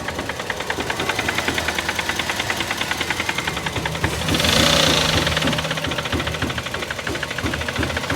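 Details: Toyota GLi idling after an oil change, with an unknown substance found in the oil: steady rapid knock, about three per second, tapping over the idle without letting up; internal engine knock, cause unknown.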